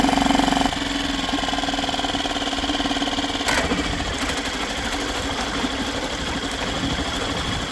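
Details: Yamaha 2.5 hp four-stroke outboard after carburetor replacement and fresh oil change: fires within a second and settles into smooth, even idle with no hunting or odd noises; normal start and idle.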